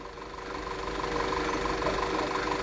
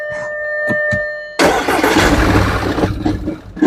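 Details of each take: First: 2011 Audi Q5 (CDNC engine) with cylinder 1 and 2 misfires (P0301, P0302) and stalling, after replacing all spark plugs and two coils: smooth, steady hum with even tone and no stumbles; idling properly, sounds much better. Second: 2011 Audi Q5 (CDNC engine), towed in, stalls on start-up with codes P0301/P0302; started after swapping coils between cylinders: a few ticks, then rough, uneven running; start-up misfire, fuel smell at tailpipe, coils and plugs suspected.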